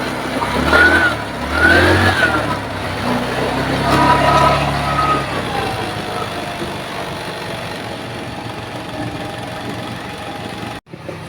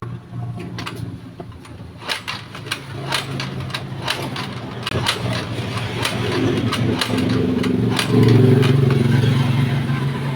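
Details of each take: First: GY6-type scooter, possibly a Mio, that wouldn't start and kept draining its battery: after a kick start, it idles steadily with an even hum. The owner blamed the battery, but the cause was the spark plug; compression was verified good. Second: Scooter (GY6-type, like a Mio) repeatedly kick-started with a freshly charged battery: clunks turn the engine over but it never catches; the battery is not the cause and only went flat from failed starts, with weak spark suspected.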